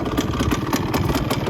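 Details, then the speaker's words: 1971 Suzuki TS185 two-stroke, just revived after years sitting, won't hold idle without dying, bad exhaust leak known: popping, uneven stumbling idle with missed strokes and something rattling inside; rough idle, cause unknown. "doesn't sound super at idle which is to be expected there's a lot a lot to do still on this bike um it sounds like something's rattling in there"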